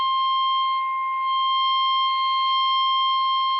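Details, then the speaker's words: 1960s Realtone Nine transistor radio that distorts and drains batteries, signal injected at first audio amp stage: steady test tone harsh and buzzy with strong overtones, doubling and distortion; suspected in early audio stages. "If I do that, we see that we have wonderful doubling and distortion"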